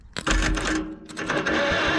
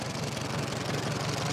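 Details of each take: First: 1945 Farmall H tractor, long sat, cranked while checking for spark with a screwdriver grounded at the magneto: even cranking, about three turns a second, never fires. No spark. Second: 1945 Farmall H tractor idling after running for the first time, oil pressure showing; the owner suspects the bad plug wires were the issue. Soft, even low putter with no knocks or misses; very quiet, normal idle.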